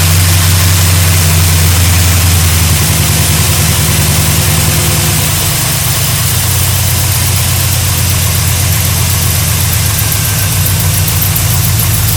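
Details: 1972 GMC Sierra Grande with a freshly installed replacement engine (electric choke, primed oil and fuel, new gas tank), first start in 9 years: catches and settles into a steady, even idle, smooth low rumble, no knocks or misses; healthy.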